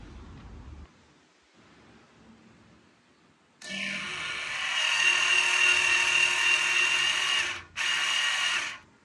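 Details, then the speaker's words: Tesla electronic parking brake (made by Brembo), clamping down on a piece of wood; its gear-driven piston gives a sharp high whine for about four seconds, pauses, then whirs again. Normal operation under load. "so the piston in this electronic parking brake is driven by a series of Gears that allows for a pretty impressive clamping Force"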